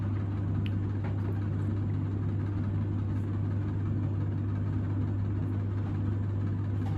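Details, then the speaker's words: Samsung heat pump (closed-loop) tumble dryer in its end-of-cycle fan phase, still tumbling after about an hour, a pump heard in the background: a steady low hum with faint tumbling and no knocks or scraping; a normal fan cool-down. "So here it is now, it's nearly finished. It's still tumbling, but it's gone onto the fan cycle. Because they're a closed loop, they don't blow the fan for 12 minutes like a normal dryer does to cool down."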